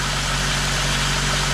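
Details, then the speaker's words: 2000 VW Eurovan on a cold (about 20°F) morning, after replacing the noisy A/C compressor bearing and clutch (new compressor, clutch swapped): steady, even idle hum with no squeal or chirp from the belt side; accessory drive now quiet and healthy. "getting nice and free nice and quiet I'll kick on the AC just to make sure that that's work properly"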